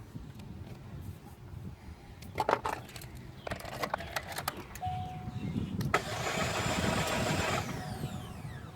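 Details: 2006 Chevy Cobalt 2.2L cranks in short bursts with a brief dash tone but never fires or idles; lights, radio, A/C and fans work, battery good, alternator already replaced; crank no-start, cause unknown.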